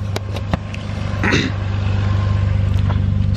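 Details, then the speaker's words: Lexus IS300 at under 69,000 miles, revved while cold. A steady, even idle swells smoothly in pitch as the revs rise and settle, with no knocks or misses; the engine sounds healthy. "as you guys can hear the car runs no problem I was a little worried ish I mean I wasn't revving it too hard but I don't like really I don't like reppin my cars when they're called but as you guys can tell the car sounds really healthy"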